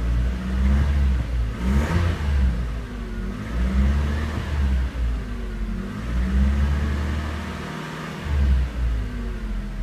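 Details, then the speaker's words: 1998 Toyota RAV4 after repairing rusted, broken oxygen sensor flange exhaust studs: engine held near 2000 RPM, deep steady exhaust note with no rattles or ticking, exhaust leak fixed; never set a check engine light, heard from cab with window down. "all right so's much better looks like we're in business she started up well and sounds good"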